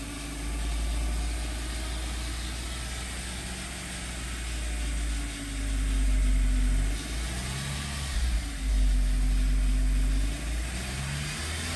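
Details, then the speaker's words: 2007 Audi A4 2.0 FSI, 141K miles, rebuilt engine during initial break-in: uneven idle sagging and recovering, dropping below 1000 rpm, still revving slightly higher than usual; misfiring stopped, no check engine lights. "no more misfiring it's dropping down below a thousand rpm still a little bit higher revving than i'm used to but that's something that can be easily fixed"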